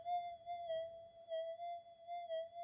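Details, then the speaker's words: Brand-new factory-standard Minelab GPX5000 metal detector, coil in air, before input-stage redesign; steady high warbling threshold tone with slow wavering pulse about twice a second. Threshold chirp noise, considered pretty standard. "it's a lot of noise coming through but anyway actually I think that noise is pretty standard"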